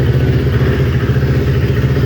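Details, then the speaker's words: Kawasaki Ninja twin, recently rebuilt, idle: lumpy uneven beat with dropped pulses; manifold temperatures show the right-hand (off-side) cylinder 15–20 °C cooler, misfire from a failing ignition coil pack. "I don't know if you saw that, but the right hand side cylinder is slowly starting to get a 15 to 20 degrees Celsius difference, and our problem is going to be on the right hand side cylinder."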